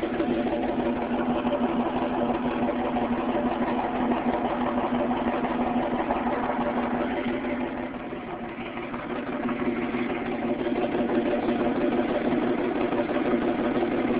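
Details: 1998 Ford Mustang V6 before an engine rebuild: rough, uneven idle with a lumpy stumble about three times a second. Engine misfire.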